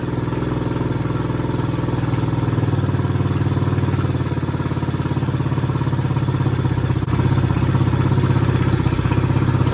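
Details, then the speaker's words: Chinese 50cc ATV revived after years outside, new carburetor fitted, run on a battery pack with rear propped up: small single-cylinder putters at a steady, even idle with no misses; normal idle. "She's idling nicely. Sounds good."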